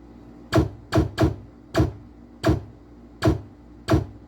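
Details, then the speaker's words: Whirlwind pinball machine opto switch test: sharp clicks at each switch hit, irregularly spaced at about ninety a minute, over a quiet room. The switches read normal and good. "That's normal and good. Normal and good."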